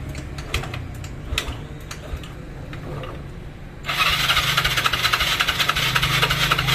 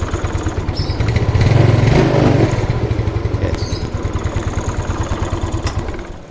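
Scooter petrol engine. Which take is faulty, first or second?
first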